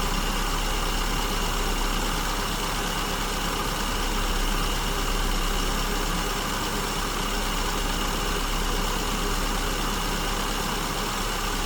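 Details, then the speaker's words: SU-carburetted car at idle while the idle mixture is set with tachometer, vacuum gauge and lambda gauge, starting lean at lambda 1.09–1.10: fuel is being added and speed picks up but still hunts unevenly; mixture still lean. "Okay, I'm adding fuel. You can hear the engine speeds picking up. Still fluctuating."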